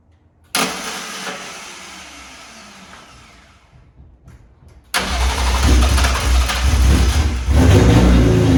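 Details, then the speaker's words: BMW E36 with swapped S54 engine, first start, exhaust not fully built; catches, settles, then revs cleanly with an even smooth note, no ticking, VANOS sounds great; healthy running. "Everything's running really good. It sounds smooth, no ticking. Vano sounds great."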